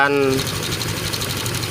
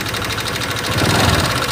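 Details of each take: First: 2018 Honda Vario 125 FI after valve clearance adjustment, head open: smooth even idle with soft steady hum, earlier rough ticking gone; valve lash was the cause, valve train now healthy. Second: 2018 Honda Vario 125 FI scooter at idle, before any disassembly: fast light ticking over the hum with slow surges, rough-sounding engine; loose valve clearance making the tappets tick.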